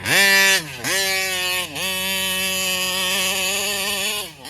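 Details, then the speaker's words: Taylor 35cc reed-valve two-stroke engine in a Kraken Vesla .5 RC: high buzz keeps sagging and picking back up, never climbing cleanly onto the pipe; it acts lean and dies off throttle, carburetor suspected, air filter clean. "see it acts like it's really lean and then you let off a throttle and it just poops out"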